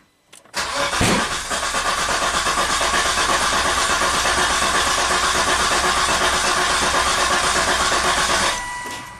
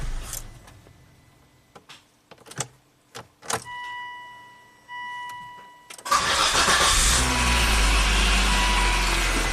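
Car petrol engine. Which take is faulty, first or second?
first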